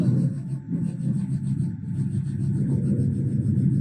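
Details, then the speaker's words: Mercedes ML 350 W166, OM642 3.0 V6 diesel, key on engine off after fuel filter replacement, priming before first start: low steady hum with faint quick ticking; normal AdBlue system and fuel pump priming. "I don't know, team, if you can hear that noise. One of the noises I believe is the ad blue system, but I think one of them is also the fuel pump."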